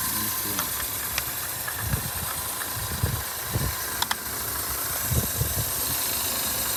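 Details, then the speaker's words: Subaru seven-passenger at a dealer auction, 154k miles, check engine light on, coolant low, nearly out of fuel: steady even idle amid voices and lot noise, no knocks or misses; relatively smooth, runs fine. "sounds relatively smooth not interested in it's a Subaru the car runs fine it sounds good"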